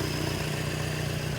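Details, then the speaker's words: 1978 Datsun 1500 Ute GN620 with new carburettor, new oil, running on 20-year-old fuel from own tank: steady even low idle, no misses or knocks, settled and smooth; normal idle. "how's she gonna run on the 20 year old fuel she's running folks listen to that oh wow okay she's running she's running without a temporary fuel tank"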